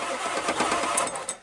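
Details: Ford truck on two revived batteries, after two weeks sitting, key start: starter spins engine briskly and evenly with strong compression pulses; batteries hold up well, engine does not catch.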